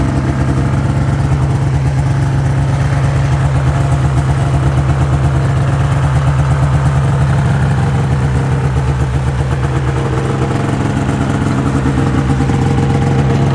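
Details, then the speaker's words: 2005 Ski-Doo MX-Z Renegade 600 H.O. SDI two-stroke with a long history of hard starting, cold-started after an overnight frost soak following a new fuel pump, pressure regulator and strainer: a steady raised warm-up idle with even buzz and no misses. Normal fast idle before it drops into open loop. "curious to see how long here it takes for it idles down once it gets up into open loop"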